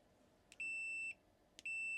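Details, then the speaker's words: PS5 Digital EDM-030 motherboard that only beeps with no power: two steady high multimeter continuity beeps, each after a probe click, showing a failed capacitor shorted to ground. "Beep, right? And [snorts] it shouldn't be beep beep beep beep. I already removed the two on the other side. This is beeping."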